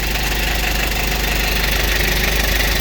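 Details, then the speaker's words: Used car being reviewed at a dealer, idling: even, steady diesel clatter with a solid low beat, no misses or uneven knocks, described as crisp; dipstick and oil cap show no blow-by, engine dry with no oil leaks. "Posisi udah nyala ya. Suara mesinnya terdengar masih renyah. Dari suara sangat jelas teman-teman, masih sangat renyah."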